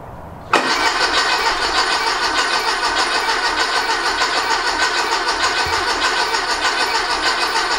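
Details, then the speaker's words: Rebuilt 1835cc VW air-cooled engine, first start attempt after rebuild; starter spins about three turns a second but never catches; fuel present, no spark, electronic ignition module suspected. "Fire at least kicks over. Well, we got fuel. Wonder if we have sparkage. No spark."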